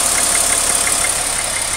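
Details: 2001 Porsche Boxster 2.7 idling: quick, fairly even ticking about six times a second over a hissy idle; abnormal top-end noise, cause unknown.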